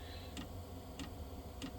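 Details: Diesel heater that quit after a week of good running, owner suspects biodiesel gumming it and over-fuelling: sharp, evenly spaced ticks about every 0.6 s over a low hum as the dosing pump clicks during a failed relight attempt.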